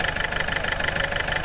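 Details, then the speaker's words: Ford Figo diesel, slow to start, check-engine lamp blinking, low pickup, RPM won't rise: loud, sharp, rapid knocking at idle, engine shaking, worse on throttle; diesel knock from failed injectors, solved by injector replacement. "ये देखिए ये कितने ज़ोर से knocking कर रहा है और आवाज़ भी हो रहा है। ठीक है, बहुत नॉकिंग कर रहा है और आवाज़ भी बहुत हो रहा है। कांप रहा है, जैसे हिल रहा है इंजन ऐसा।"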